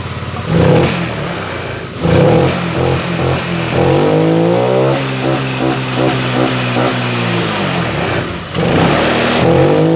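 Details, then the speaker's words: Honda Vario 125 LED scooter previously stumbling from weak fuel pump pressure, now with a resistor fitted in the EOT sensor socket: quick revs rise cleanly and drop back with no bogging; responsive throttle. "oke mas bro mantap hanya dikasih resistor pada sensor eot Ini sensor eot saya kasih resistor seperti ini Sehingga tarikan lebih responsif beda dari yang tadi"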